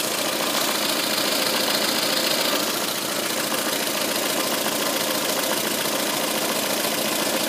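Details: Fast light ticking at about three or four per second over the idle of a VAZ 2114 engine, heard from the timing belt cover end. The cause is excessive camshaft end play.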